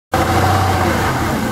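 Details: 2000 Jaguar XK8 bought on eBay, engine idling: steady low drone with a faint higher tone on top; seller says normal, buyer suspects abnormal engine noise, source unclear.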